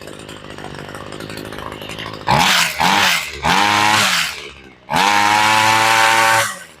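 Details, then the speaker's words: Homelite two-stroke weedeater after carburetor replacement and idle screw adjustment; idles steadily but throttle blips go flat and blubbery at the top, high-speed mixture set slightly rich and needs adjusting. "Sounds like she's getting the use turned up just a touch on the high side. It's idling good, but you can hear it flattening out at the top."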